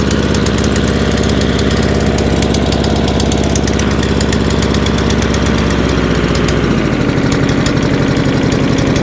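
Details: Free scrap lawn mower, after fitting a new spark plug: uneven, lumpy running with a hunting beat of about one per second that won't settle. Owner suspects carb assembly jumped onto choke or carburettor linkage not opening and closing properly; unconfirmed.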